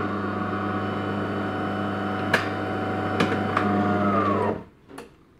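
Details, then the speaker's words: De'Longhi ECAM coffee machine after cleaning the brew group that had jammed and cracked: steady motor hum with a few light clicks, then a clean stop; brew unit cycles smoothly without cracking or straining. "also hast jetzt gesehen das ist eigentlich eine schnelle geschichte ist dafür dass er eben dieses problem kurzzeitig hat einfach die brücke bereinigen schon geht es wieder vorwärts"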